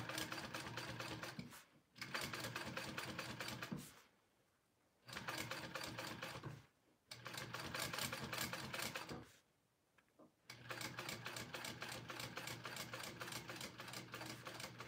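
Fast, steady needle chatter in bursts of a few seconds with short pauses, no extra clicking, so the machine is sewing smoothly.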